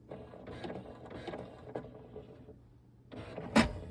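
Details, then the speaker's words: New HP Smart Tank 555 inkjet printer during its first power-up with initialization showing: bursts of soft whirring and clicking from the carriage and pump, then a sharp clack; normal first-start initialization. "en train de se charger premier démarrage là on entend des goûts de poulet donc je soupçonne que c'est de l'encre qui a été coulé simplement"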